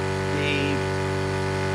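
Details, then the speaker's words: Old cheap pump on a roughly five-year-old camping shower water trolley feeding an instant gas water heater: steady, loud buzzy electric hum. The noisy pump sometimes cuts out mid-shower. "the old pump's very noisy. We are getting some hot water through now, but it does let us down, and when it cuts off halfway through a shower it can be very cold."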